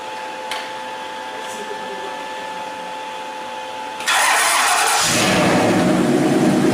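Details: 1934 Ford pickup hot rod with electric exhaust dumps, idling: smooth, even idle, quiet at first, then sharply louder and deeper as the exhaust dumps open; normal idle, healthy.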